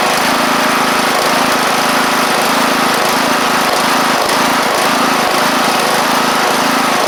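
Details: John Deere LA100 riding mower with 5-speed transaxle, long-sat, hard starting from valve issues, on the test run with the deck engaged: a loud, steady drone at even engine speed with the blades spinning and no stumbles or knocks. The engine runs smoothly.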